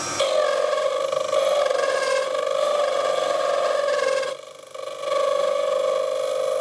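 A loud, steady tonal squeal with overtones while the lathe cuts, briefly breaking off before resuming: classic tool chatter.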